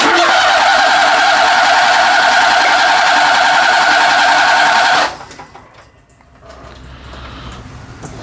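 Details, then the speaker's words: Daihatsu S210P truck cranked with the relay pulled and valve cover off for a compression test after fixing a loose timing belt and a stuck VVT phaser; even, matched strokes, and cylinder one reads 180 psi, up from 80. "Thing's got great compression and uh oil pressure in it. Look at there. That's uh number one cylinder at 180 on the dot. So that's great."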